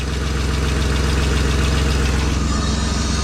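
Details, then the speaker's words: BMW E36 convertible after oil pan replacement and fresh oil: warm petrol engine idles smoothly and steadily with no rod knock. The engine survived the cracked oil pan. "no knock the motor lived it survived the oil pan"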